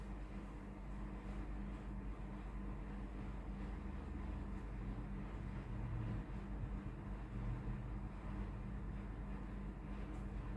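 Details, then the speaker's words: Tefal GV8950M0/23 steam iron after water pump check, plugged in and ready: steady low even buzzing hum with no surging, water pump running normally. "entendez la pompe à eau fonctionner. L'appareil est prêt à l'emploi."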